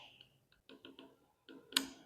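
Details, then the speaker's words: Double-door frost-free refrigerator defrost timer motor being switched by hand with a screwdriver from cooling to heating mode, moving its contacts from terminals 3–4 to 3–2. Light scraping, then one sharp click. Normal defrost timer switching click. "ये screw driver की वजह से हम इसको heating mode पे, ये आवाज़ करेगा टक।"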